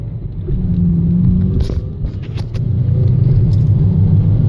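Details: 2007 Honda Civic Si engine rattling in neutral, turning to a coarser grinding as revs rise under acceleration; started about two weeks ago and gradually worsening, source not pinned down.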